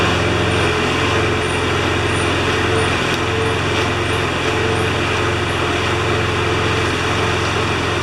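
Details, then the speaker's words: John Deere JS25 mower engine after rebuild, test-run before being reconnected to the gas tank: even, steady single-cylinder drone with no knocks, misses or surging; running smoothly. "Alright, I think it's going to run good enough to hook it back up to the gas tank."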